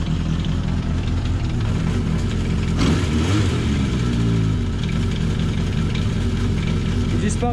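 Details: Honda CB750 KZ four-cylinder restarted after sitting since last summer, with a long-standing clutch-area noise. Busy mechanical rattle at idle with a short rev; the clutch basket has already been replaced and the cause is still not found.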